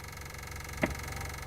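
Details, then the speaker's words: Used BMW 7 Series, sound inside the cabin: one sharp weird click over a quiet hum as the ignition is switched on, heard while the adjustable rear headrests had stopped working; source of the electrical clicking not identified. "actually when you start the ignition you get that weird clicking sound can hear that"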